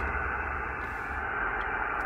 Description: I rode around tuned to 28.400MHz to ascertain which power poles are the source of the power line noise that is interfering with my HF radio.